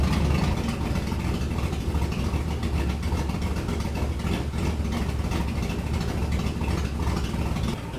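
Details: Shop truck just fitted with a Truck Norris NSR cam, mic by the exhaust: deep, loping exhaust with an uneven, choppy beat at idle; untuned and running super rich, tune still needed.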